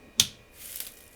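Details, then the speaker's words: IBM G74 CRT monitor with lights off at power-on: a single sharp snap then faint hiss of high-voltage arcing, still not visible; strong ozone smell, later spotted on the neck board, possibly on a capacitor. "1 yeah that definitely sounds like arcing I can't see anything man this sucks"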